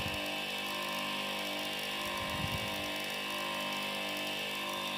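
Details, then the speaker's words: Welling 230 V AC induction pump motor from a Galanz dishwasher, fed from a variac at around 240 V: steady, even hum with a faint electrical buzz, no knocks, rattles or surging; normal running. "so as you can see and here the motor works just perfectly"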